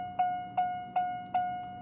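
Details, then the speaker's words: 1992 Chevrolet Corvette tone generator (door chime), bench-tested on a 9-volt battery with both terminals crossed for fastest rate: clean mid-pitched chime about two and a half strikes a second, each decaying evenly; working normally. "So again, the slow, the fast, and combining them, it's even faster. And again, that's with a 9-volt battery."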